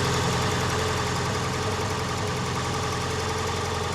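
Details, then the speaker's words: Mk2 Ford Escort with ST170 engine swap at first start, idling: lumpy, uneven idle with irregular pops and bangs through the exhaust about three or four a second, yellow flame; running rich, mixture screw probably to be wound in. "But yeah, you can see that that's clearly rich. I think that means I need to wind the screw in."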